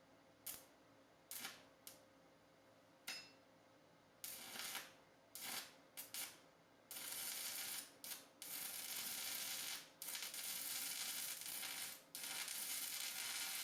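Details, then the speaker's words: Simder ARC 120M, the cheapest and smallest inverter welder on Amazon, running 6011 fast-freeze rod before being turned up to 80. The arc keeps sputtering out in short crackling bursts before a rough hiss settles; it cannot hold a steady 6011 arc. "Boy, that doesn't sound right at all. I'll turn it up to 80."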